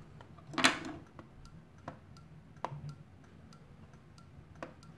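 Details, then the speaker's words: All-Sun EM3252 multimeter with a magnet placed against it. Sharp, irregular clicks as the magnet pulls the internal relay, though range switching and readings show no ill effect. "so there's definitely an interaction out between the magnet and the relay"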